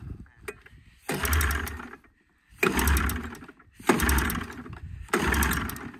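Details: 1987 Arctic Cat Cougar 500 snowmobile with Suzuki engine, long sitting, new plugs, fuel dumped in cylinders. Four short bursts of rough firing, each dying after a second; won't keep running.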